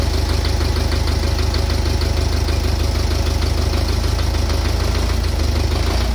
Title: Стук в двигателе